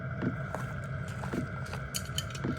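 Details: Portable Chinese diesel heater in a compact overland case, 5-liter tank, exhaust wrapped, muffler removed, warm and running before shutdown: soft steady hum, faint constant whistle, light pump tick about twice a second; normal running.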